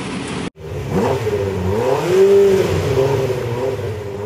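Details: 1965 Ferrari 330 GT 2+2 V12 driving on the road: smooth rising and falling engine note through the revs, clean and even with no knocks; healthy engine revving.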